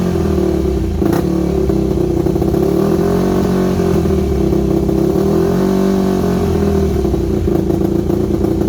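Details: Yamaha WR250 single-cylinder with good compression, just revived and fuelled up: idle hunts up and down, never settles, odd stumble; carb needs rebuilding, owner unsure idle jet is fully unblocked, irregular idle.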